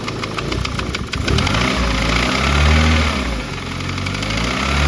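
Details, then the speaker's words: Car after dyno failure: engine running with a steady ticking knock about three a second; owner suspects a top-end fault such as a hydraulic tappet not pumped up or failed, unconfirmed. "now sounds really top Endy as if the hydraulic taets have just not got your in them or something or one of them's failed or something and it's just a noise"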